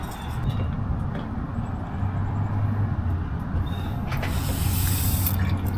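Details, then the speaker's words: Truck APU (Thermo King unit) running with a steady low diesel drone while coolant trickles and drips out of the radiator at its lower corner edge, right where the owner suspected; coolant leak from the radiator. "Oh it's leaking it yeah you can hear it huh you can hear it it's right down here right here yeah right where I thought it was"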